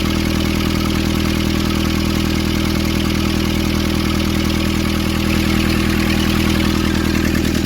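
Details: Nissan Urvan ZD30 diesel (possibly 2015) after a no-start repair in which a clogged, soot-filled part near a sensor was cleaned and refitted: even, steady idle at about 200 beats a minute, no misses, surges or knocks; running normally.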